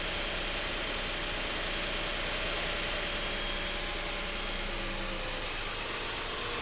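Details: Nearly new Lincoln MKX with 7,000 miles: light tapping knock about three per second over a steady idle hum, present since new and worsening. It seems to come from the back of the engine; the dealer could not hear it. Source unknown.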